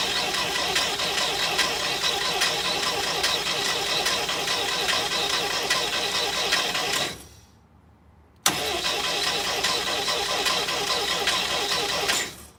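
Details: International Scout 80, after an oil change, out of gear with the coil disconnected, cranked by a button to circulate oil through the new filter: steady, even cranking for about seven seconds, a pause, then more with no firing. Normal cranking.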